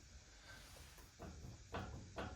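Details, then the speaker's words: Lexus GX, front jacked up, tire rocked by hand at 6 and 12 o'clock: hollow clicks from a badly worn wheel bearing with heavy play; the passenger side is less bad; new bearings ordered. "Then at the six and 12, I definitely have a wheel bearing real bad out."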